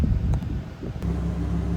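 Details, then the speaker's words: Honda 2200 W inverter generator running Furrion AC compressor on low fan at about 1772–1775 W without soft start: deep steady drone, even hum, no hunting or surging. Steady under heavy load. "So we're on low fan, compressor on, and we are drawing 1772, 1775 watts. Now some might argue that that is too much to continuously run on a generator rated at 2200 watts."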